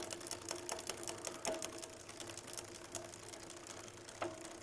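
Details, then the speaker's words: Jamis Highpoint mountain bike with rear derailleur cable tension off and the high limit screw turned in while pedaling: sharp, uneven clicks over a soft chain whir. Backing the screw out one flat at a time stops the noise. "so I'll start pedaling and I'm going to slowly dial this in until it either jumps out or you can hear that clicking hopefully"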